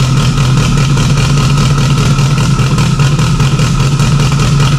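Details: Freshly installed stock OEM Subaru EJ257 longblock in an 1100+whp STI, first start with a fuel leak under the intake manifold. It holds a loud, even idle with a steady low burble, no ticks or knocks; normal healthy idle.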